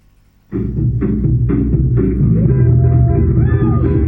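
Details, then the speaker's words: JBL EON 515XT bi-amped active speaker with an active crossover, playing music: full thumping bass but no treble at all, and the treble control has no effect. Only the bass speaker works; the horn/tweeter gives no output. "well I can tell you only the bass speaker is working"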